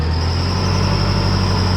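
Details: Car at warm-up idle, engine bay heard with a stethoscope: steady thin high whistle over deep idle; first suspected alternator overrunning clutch or idler roller, but it turned out to be a leaking metal exhaust gasket.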